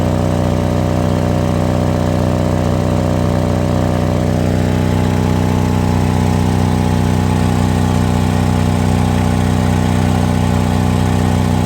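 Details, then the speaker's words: Toyota Kijang LGX EFI idling, heard at the exhaust: coarse, raspy low puffing instead of smooth hum; muffler holed from corrosion or poorly welded with pores, exhaust leak making the rough sound. "Nah itu tadi suaranya dari knalpot jadi knalpotnya ini sudah bolong atau crop mungkin kalau karena keropos ya atau pernah ngelas Tapi tidak untuk nutup semua jadi ada pori-pori nah jadi suaranya jadi kasar seperti tadi itu"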